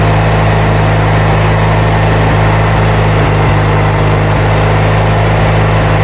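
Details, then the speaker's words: Kohler Magnum 20 engine at first start after repairs, running on choke because the choke cable is frozen: a steady low drone with brief stumbles and dips; the carburetor is out of adjustment. "Enough of that noise, right? I'll get it adjusted."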